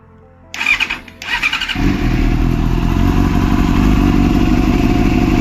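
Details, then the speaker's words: Yamaha R6 being flipped, valve timing just corrected: two short cranking bursts, then a loud rough idle with metallic clatter at startup; the valves had jumped time because the cam chain is very loose, clanking on every start. "I fixed the original issue of the valves being timed out. But the reason why the valves were out of time was because the chain the chain is loose. It's super loose."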